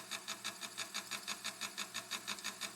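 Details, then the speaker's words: Slitting saw cutting steel at full 8 mm depth in one pass: even, regular chatter about three times a second with a bright metallic hiss, no clunks; saw cutting smoothly, normal. "but as you can see this is cutting pretty well once again I'm again as I always say with slitting saws doing the full 8 mm depth of cut in one pass"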